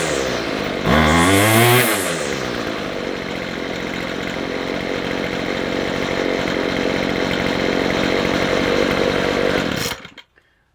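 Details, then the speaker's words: McCulloch 250C XL X-series two-stroke strimmer, carburettor suspected partly blocked, low and high mixture screws turned out for more fuel; one sharp rev then steady even drone for about eight seconds at full throttle, now running without stalling; hardened diaphragm suspected. "Running a bit better. That's better. Go full throttle now and it won't stop."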